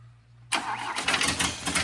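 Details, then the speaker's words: 1966 Volvo 220 Amazon wagon cranking in uneven bursts, never catching; no fuel coming through, pump suspected; cranks but won't start. "like I just want to get it started still don't have any fuel coming here"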